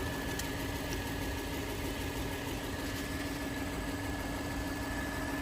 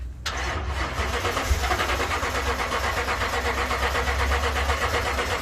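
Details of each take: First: Engine from a no-start fuel pump ECU repair job: steady, even idle with a faint high whine and constant low hum, no misses or knocks; engine sounds healthy. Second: 2012 Toyota Tundra no-start: starter churns the engine steadily with a loose, uneven rhythm but it never catches; fuel pump ECU not powering the pump.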